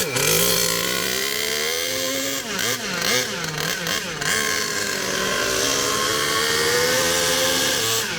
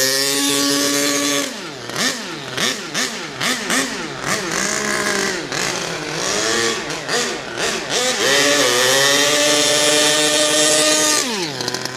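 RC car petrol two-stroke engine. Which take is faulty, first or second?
first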